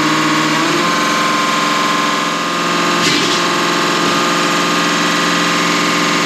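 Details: Deutz V8 diesel injection pump from a MAN KAT truck that had lost power (50 km/h max), cleaned and run on a diesel specialist's test bench; steady busy chatter like a running V8, even pitch, no knocks; normal injection pump operation.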